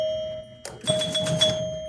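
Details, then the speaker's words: Restored Gottlieb King Kool pinball machine, score motor triggered: clean ringing chimes over quick mechanical clunks, single knocker thump for a points-based extra game; score motor and chimes working normally. "I guess this will make the score motor run. Yeah. See, it's running."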